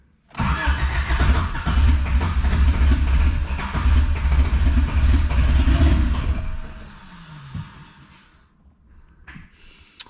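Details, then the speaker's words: Turbocharged Wagon on a fresh street tune, with fuel added 20%: about six seconds of steady rhythmic cranking that never catches; crank-no-start, and the tuner suspects the injector dead-time settings. "and we're just gonna keep trying that until the car starts"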